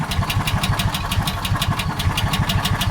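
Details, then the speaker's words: John Deere Gator 4x2, cold start: slow, lumpy idle at 680–690 rpm with uneven chuff, sagging like it wants to stall; idle speed set too low. "You can see on a cold start, it doesn't really want to stay running very well. Right now on cold, we're running uh 690, 680 on the RPMs."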